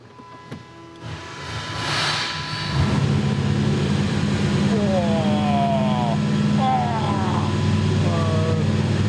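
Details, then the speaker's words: 383 small block Chevy V8 with Pete Jackson gear drive, now idling high after fuel work (carburettor secondary screw needs turning down); fast steady idle with constant whirring whine from the noisy gear drive. "I was trying to figure out, I was like, why is that thing so noisy? And I remember that's got a noisy drive on it, gear drive."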